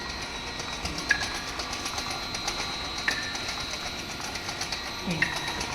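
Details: Non-contact acoustic vacuum seal tester on a conveyor tapping vacuum screw caps: crisp, light, even taps over quiet conveyor hum; working normally on properly vacuum-sealed cans.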